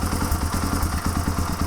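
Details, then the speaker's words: 1997 Suzuki DR350 with Mikuni TM33 carburetor leaking fuel from the overflow, warmed up at idle: quick single-cylinder thumps, about eight a second, fluctuating and slowing, may die; owner suspects rising float level from a dirty float needle valve richening mixture. "already warmed up so it doesn't run terrible but listen to the idle it will fluctuate I hear that it'll get worse here it slow down yeah in fact it'll probably eventually die"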